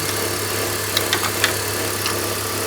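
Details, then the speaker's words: BMW X3 idling with a steady low vibration drone and light ticks that go away when revving. The original water pump has play and the belt tensioner chatters; water pump, tensioner and idler pulley are being replaced. Water pump and belt tensioner vibration. "So this is the sound that it's making. It's like a vibration noise. It goes away when you're revving up the engine."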